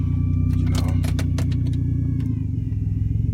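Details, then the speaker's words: 2002 Infiniti QX4 at idle: faint steady high whine, seemingly from the dashboard, over an uneven idle with a few knocks; whenever the whine appears the car loses power and stalls on throttle; cause not yet identified. "I don't know what that noise means any time that noise comes on means that my cards gonna shut off as soon as I hit the problem by our base"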